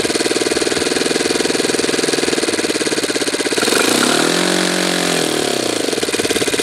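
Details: Saito twin model engine after low-speed needle adjustment, glow driver disconnected: crisp, even, fairly slow idle holds steady, dips briefly around four seconds and recovers; healthy idle.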